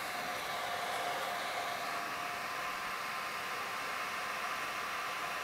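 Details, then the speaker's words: Mean Well SE-450-24 power supply with smaller 12 V 180 mA Delta replacement fan fitted to reduce noise: constant loud rushing airflow hiss with faint steady tone, no rattle, still loud; loud small replacement fan airflow noise. "actually i must say this is loud as well but not as long and it's actually quite windy huh"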